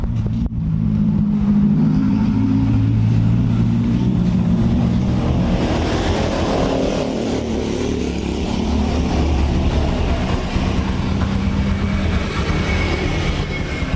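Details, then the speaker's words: Honda Supra X 125 single-cylinder after engine rebuild, idling with gentle blips after hard full-throttle riding; steady low putter, no knocks or rattles; runs smooth, normal. "menyala mesin halus ya walaupun habis kita gaspol kita gesret"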